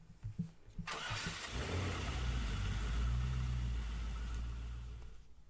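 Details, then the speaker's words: 2009 Honda Civic with slow cranking that worsened to no crank: a few weak clicks, then the starter engages after tapping its housing, cranks briefly and settles into steady idle; sticking, suspected bad starter. "cases tapping on the starter housing with a hammer or something with a little heft to it may help your starter engage if you ever stranded somewhere and want to avoid a tow"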